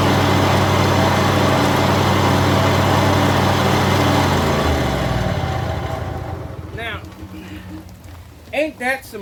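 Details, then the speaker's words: John Deere zero-turn mower, blades engaged after refitting the old blades: steady even drone with no recurring knock every few seconds, winding down on shutoff; noise traced to the blades, not the spindle. "clearly it's a blade problem if it was a spindle problem it would still be making that intermittent noise every few seconds"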